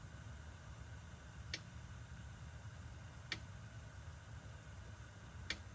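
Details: BMW E60 M5/E63 M6 SMG hydraulic pump during INPA bleeding after topping off with CHF-11S fluid (about 20 minutes): quiet steady hum with a sharp tick about every two seconds; normal operation.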